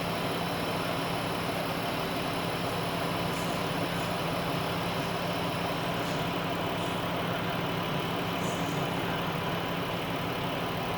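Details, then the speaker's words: Chrysler/Dodge minivan 3.6 Pentastar, after oil cooler repair, idling during coolant bleed with a spill-free funnel: loud steady fan roar over a quiet idle; radiator fans at full speed as trapped air overheats the engine. "Now you can hear the fans are really going because it's in freak out mode. Oh my god! Oh my god, it's getting hot!"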